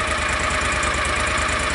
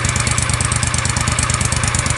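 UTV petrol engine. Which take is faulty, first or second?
second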